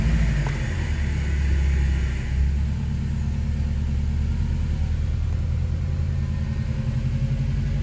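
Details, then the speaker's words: 2005 2.5 RS after new motor and clutch, first start with coolant still bleeding and heat on: smooth even low idle, no knocks, ticks or misses; normal idle, running great. "sounds like it should she's running great just letting her bleed go coming up and getting all the bubbles out"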